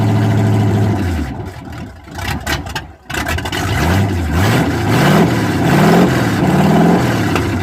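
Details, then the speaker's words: Squarebody truck after headers refitted with silicone as gasket sealant: clean throttle blips rising and falling smoothly, no ticking or puffing; quiet up front by the fan, flange exhaust leaks fixed. "Sounds nice and quiet up front by the fan now. That's good. No more leaky flanges."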